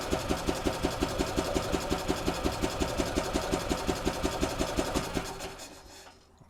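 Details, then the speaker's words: 2008 Yamaha Drive gas golf cart in neutral, airbox off, cranked to test fuel pump flow during fuel system flush: even cranking beat about three pulses a second for five seconds, no firing; turns over freely, normal cranking, good fuel flow. "I want to run the pump and make sure this is pumping right now put it in neutral and just crank the engine"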